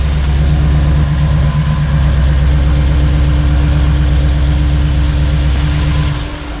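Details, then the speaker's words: 1986 Chevy C10 with a Gen 6 454 big-block V8 idling after COMP roller rocker arms were installed. The deep, even idle has no top-end ticking, and the earlier valvetrain tapping from out-of-adjustment rockers seems to be gone. "so we've got the new rocker arms on and the noise seems to have stopped"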